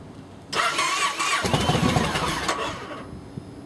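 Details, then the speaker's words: Yamaha V-twin with cracked fuel pump housing, reluctant to start, fires after sitting a minute, then a ragged, stumbling, uneven idle; rough idle from fuel delivery fault. "Doesn't want to start the first time, so we let it set a minute, and she fires right up. But the idling's bad."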